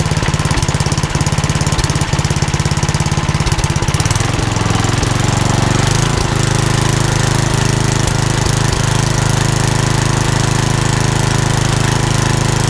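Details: Old rusty Tecumseh 10 hp HM100 single-cylinder engine after a genuine Tecumseh carburetor replaced a knock-off one (knock-off carb or its corrosion blamed), muffler refitted: pops evenly, then climbs to a smooth governed speed without misses; runs beautifully.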